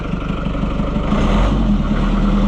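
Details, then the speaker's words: White 700 tractor after wiring fix, started with key and clutch after a month unused, warm day: catches quickly with no smoke and settles into a steady, even low rumble, no misses or knocks, healthy idle. "Fires right up and not even smoke. It is warm today, but that thing has not run for a month."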